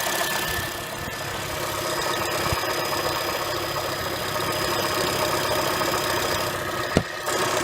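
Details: 2007 Honda Fit at cold start: light, uneven ticking knock over a steady hum from the engine bay, first thought to be rod knock or piston slap; caused by a worn AC compressor pulley bearing, fixed by replacing the bearing.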